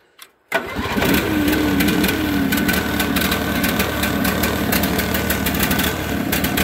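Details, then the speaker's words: Briggs & Stratton overhead-valve engine on a 450-hour garage-kept 4016 tractor; starts then runs unevenly with wavering beat and speed dips, stumbling, smoking and choking off; rough running linked to oil-filled air filter and possible bad head gasket. "it's acting like it doesn't want to run it's stumble in the fall and it's smoking it chokes off"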